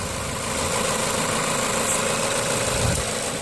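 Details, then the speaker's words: 2008 Ford Fusion petrol engine at steady idle, soft even hum with no ticks, knocks or rattles, purring quietly; engine sounds healthy. "I mean, listen to that engine. It's just purring. No noise whatsoever. Quiet."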